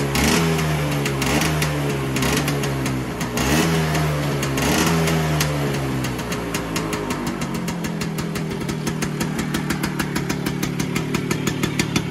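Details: Vespa PX 125 with 177 kit, restored engine (new bearings, gaskets, piston, rings, lapped cylinder, first-gear parts), first start after a year on 2.5% mix. A few throttle blips, then a fast, even two-stroke putter with no misfires. Normal idle.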